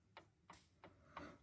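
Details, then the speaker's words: Audi Allroad C5 2.7 steering rack knock: sharp dry ticks about three a second as the wheel rocks, from play in the splined star on the steering shaft inside the rack. "вал который от руля идет и у него есть вот здесь вот звезда которая толкает вал туда-сюда и вот эта звезда там тоже люфтит"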